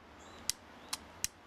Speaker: clicking, that means the solenoid is engaging and this relay is good,